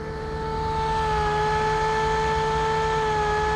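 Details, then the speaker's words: Webb Whacheon lathe run on a VFD from 220 V single phase, up to 1800 rpm; steady mid-pitched hum with a whine; owner suspects a fan, one side's fan apparently not spinning; unconfirmed. "now I am a little concerned with this noise it's making it's the fan"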